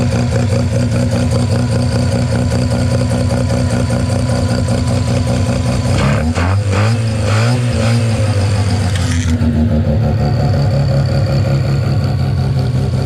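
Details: 13B rotary on an EMPI IDA carburetor after replacing a faulty fuel regulator and setting a high float level with glass-ball needle seats: barks up cleanly through quick blips, then settles to a steady idle; running healthy.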